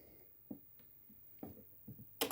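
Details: Power Walker Basic STL 1000 (600 W) home UPS, mains switched off at the socket: a few sharp, isolated clicks in a quiet room, then a louder clatter as the relay transfers to battery.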